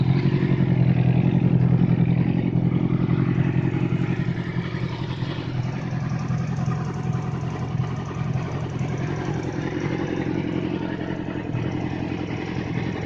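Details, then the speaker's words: Yamaha R6 after engine rebuild, which had a knock at 4,000–6,000 rpm; after replacing the cam chain tensioner the knock is gone: revs up and settles smoothly with even exhaust note, no knocking; normal revving. "после перебора двигателя яма R6 был стук с 4 до 6.000 поменяли ГРМ натяжитель в цепи и звук пропал"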